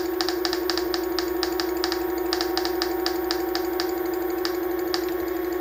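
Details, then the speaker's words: Onewheel Plus hub motor before the fix: steady motor hum with uneven sharp clicking rattles about twice a second, which alternate with a squeak. "rattle will develop into a squeak. Then it might switch back, at least that's what it did last time."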